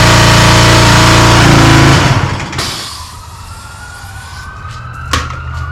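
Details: Free small-engine pressure washer after fitting a new carburetor to replace the rusted-out one; hose blown out with compressed air. Steady, even engine drone at constant pitch for two seconds, then cut and wind-down: healthy run.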